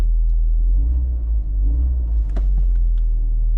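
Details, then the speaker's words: VW Golf MK4 1.8T after fitting an uprated APS 265 lph fuel pump: steady deep idle rumble with an even beat, no stumbles or surging; new pump quieter than the old, car now idles properly. "And one thing I must say, this pump is actually way more quieter, I think, than the old whatever it was, Quantum or whatever it was on here."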